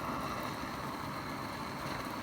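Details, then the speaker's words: Roughly 60-year-old army mountain stove (owned since 1972), first run in about 15 years, lit readily and heating water: even, steady rushing roar with no sputter or popping; normal clean burner roar. "you got to remember this stove I Haven run this stove for probably well probably 15 years I haven't started the stove and it flared right up right"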